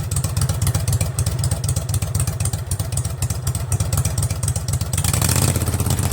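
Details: Craftsman garden tractor with Kohler Command 20.5 HP V-twin, just fitted with a fabricated exhaust elbow and straight pipe, started on half choke: loud raw evenly spaced exhaust pulses at steady idle, no misses or knocks; runs smooth.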